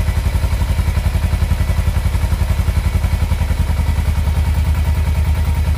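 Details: Kawasaki Versys X 250 at 10,400 km, started right after an engine oil change (about 2.2–2.4 L filled): smooth, even, soft low thump at idle with no knocks; healthy normal idle.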